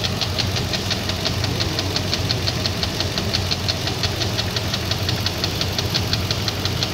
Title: VK56DE engine knocking